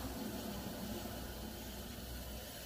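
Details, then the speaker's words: S197 Mustang GT, 135k+ miles, growl when turning right; hand-spun front driver's-side wheel gives a continuous rough gritty grinding that eases as it slows, much louder than passenger side; suspected worn wheel bearing, hub assembly to be replaced. "definitely hopefully you guys can hear that grinding sound so the plan is to just sweat swap out the wheel bearing"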